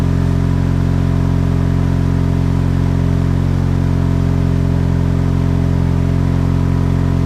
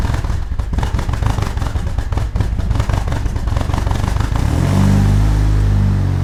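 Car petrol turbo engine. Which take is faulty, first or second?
second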